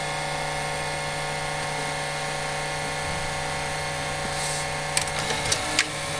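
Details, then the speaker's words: Panasonic HD100 VCR, tape now loading smoothly after repair: steady high whir from the spinning video head drum with a faint scraping edge and a few ticks near the end, abnormal drum noise; fix involves removing the drum amplifier and ground brush. "再次试机，进带很顺畅。那么问题又来了，可以听到齿骨有异响。"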